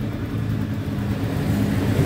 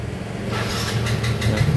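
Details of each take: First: Yamaha Mio GT scooter with good compression, spark and fuel that starts then dies; low, uneven burble before stalling, suspected poor ignition switch contact, with burning smell and smoke found from chafed ignition switch wiring. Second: Yamaha Mio GT scooter after repairing a no-start fault despite good ignition, compression and fuel, wiring tidied and taped: steady, even low idle with smooth pulse, no knocks or misses; codes 42 and 37 remain stored.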